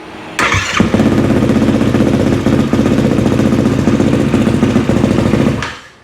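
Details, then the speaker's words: Yamaha YFZ450R on a 12 V battery: brief cranking, then catches into a steady, even single-cylinder putter; problem solved, top end fine, no overheating. "all right so you can see that problem solved top end's fine the quad did not overheat coolant and oil levels were fine"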